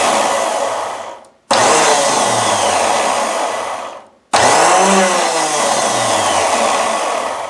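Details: Electric starter from a 1996 Ariens snow blower with 8 HP Tecumseh, bench-tested after the switch was sealed: spins up sharply in two bursts, a steady high whir winding down cleanly after each press; runs healthy.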